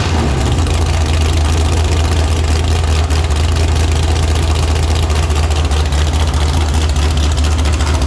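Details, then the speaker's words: Fresh-built 454 big-block Chevy, El Camino, ~10.2:1, hydraulic roller cam, ported 781 heads: deep lumpy V8 idle with loping cam rhythm, strong low rumble, steady firing; runs crisp, needs carb tuning. "that sounds crisp definitely needs some carb tuning yeah sure out of the box"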